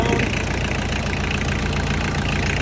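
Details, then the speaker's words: Diesel tractor pulled from the pasture, idling after injectors were tightened to stop air leaks and the intake hose was refitted: steady, even clatter with no misses, much quieter. It still needs a fuel filter. "Much quieter already. Alright. And she lives to run again."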